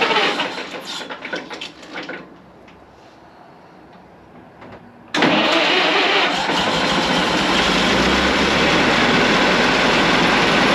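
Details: 1927 White dump truck started for the first time after sitting 20 years: quiet at first, then it catches at about five seconds and settles into a steady, even idle. It sounds like new with 28 psi oil pressure; normal idle.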